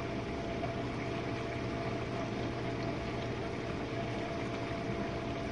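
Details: Jenn Air dishwasher on a Quick Wash main wash with one Cascade pod, run to confirm it works after earlier low recirculation noises caused by suds. Steady low circulation-pump hum and even water swishing, no gurgling or surging; normal wash.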